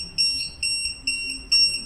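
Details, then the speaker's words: DIY LiFePO4 12 V motorcycle battery after one year of use: shrill beeping in bursts about twice a second from a LiPo cell checker flagging a cell below 3 V; LiFePO4 can go lower, so not a problem. "Okay, ஏதோ ஒரு battery வந்து 3 வோல்ட்டுக்கு கீழே வந்திருக்கும். அதனால தான் இது வந்து பஸ் ஆகுதும்."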